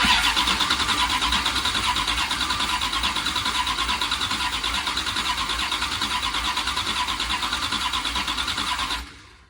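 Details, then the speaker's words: 1977 Dodge Ramcharger 440 big block V8, long-dormant basket case, plugs in, cranked while listening for weak cylinders: steady cranking about three beats a second with uneven strength; a few cylinders may be down, no major skips. "Well, it's not the most even engine I've ever heard. There are a few that might be down a little bit there, but Overall, it sounds pretty good. Didn't hear any major skips."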